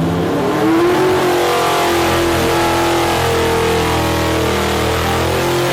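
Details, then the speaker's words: Alcohol-fuelled drag-race engine on the dyno, gravity-fed from a bucket, drag-raced since 2011: very loud, deep, steady roar holding revs with no misses or stumbles; running beautifully, just timing and carb jetting slightly off perfect. "Adams beast is running beautifully just a little timing and jetting the carbs away from perfect.."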